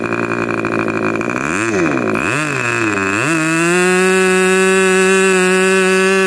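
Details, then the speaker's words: Rebuilt K&B 40 model 4011 (new ring, bearings, gaskets), 10% Coolpower plus 4% castor, 10x6 prop: high buzzing scream swoops down and up as the needle is set, about 12,300 rpm; running rich, piston ring still seating. "so it's just not broken in yet that ring is still seating now you could tell also it was running rich and it was what twelve thousand three hundred something like that"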